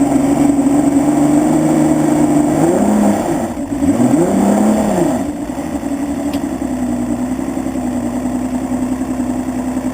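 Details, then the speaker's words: Evinrude 200 two-stroke outboard, after priming fuel into the chamber to get it started: steady buzz dipping and recovering with throttle, then an even idle; runs normally once started. "okay so as you show dine runs perfect"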